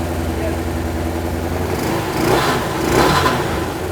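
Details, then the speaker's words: Suzuki Katana four-cylinder barn find, first start after 31 years standing, on original spark plugs: revving sounds lumpy and uneven, firing on three cylinders with some vibration; one dead cylinder, possibly a broken-down plug. "it's definitely on three cylinders now but the plugs are the original"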